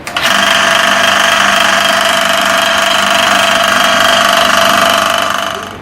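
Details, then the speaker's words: Electric motor with a loud steady hum and a fast uneven rattle about three or four times a second that persists even after the belt was changed to a size 35 and reset; points to a loose motor pulley. "Hello दोस्तों जैसा कि हमने बल्कि setting कर दी है बैल change कर दिया है फिर भी इसकी आवाज खत्म नहीं हो रही है"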